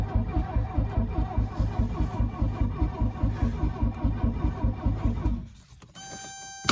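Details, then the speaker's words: 1982 Mercedes 240D W123 diesel, 237,000 miles, sat at least 3 years, battery freshly charged, throttle pressed. It cranks fast and evenly but never starts; the glow plug light does not come on because the glow plug relay has failed. "well it turns over at least that is odd that the glow PL light isn't coming on when I uh cycle the key like it should normally"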